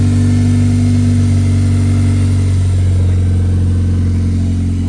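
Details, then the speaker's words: K-swapped Porsche, rear-drive, originally 6-speed manual with LSD, spacers and 2-liter throttle body: deep, smooth, steady note under revving without misses, knocks or rattles; sounds good, healthy engine. "Sounds good. It's a nice just tone."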